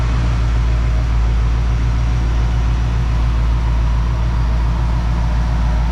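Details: 1969 Plymouth Fury III idling in the shop after fuel-system changes advised by Holley tech support: steady, even low idle rumble, no misses or knocks, running cleanly while relocated fuel filter ahead of pump appears nearly empty yet float bowl holds level.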